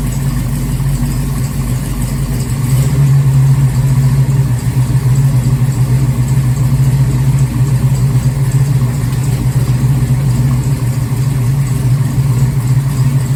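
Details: 1969 Firebird with garage-built 494 stroked 455 Pontiac V8, first start and drive in nearly 20 years, cooling fan not yet hooked up: deep, even V8 burble at steady idle, no knocks or misses; normal idle.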